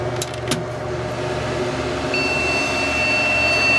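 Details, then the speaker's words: HP Pavilion A1210N desktop: a thin, steady high beep comes in halfway through over a low fan hum at power-on. Owner suspects an added 1 GB RAM stick, mismatched in this dual-channel system, is incompatible with the board; POST error beep. "ah beeping let me check the ram real quick I'm wondering if this 1 gig chip that that the uh previous owner added to the computer is incompatible with the board"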